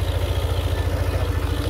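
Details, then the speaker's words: Yamaha Aerox 155 scooter that would not start without fault code, after rat-chewed wiring cut, spliced and reconnected: steady even low single-cylinder idle thump, no misses or knocks; now normal. "Sudah normal."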